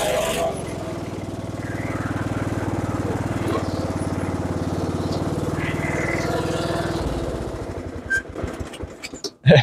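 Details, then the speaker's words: Lawn tractor with rebuilt single-cylinder engine, after many successive faults were fixed: steady, even thumping for several seconds, then slows and cuts out; the tractor now starts and drives normally. "Maintenant, je suis heureux de vous annoncer que le tracteur démarre et roule, le plus important."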